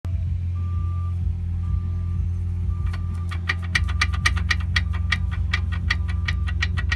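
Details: Seat Leon: sharp regular ticking and faint thin squeal from the brakes over engine and road rumble; cause unknown though brake parts are all new.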